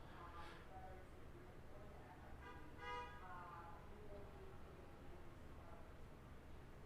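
A faint single chime rises briefly over quiet room noise and rings out cleanly; the laptop powers on normally.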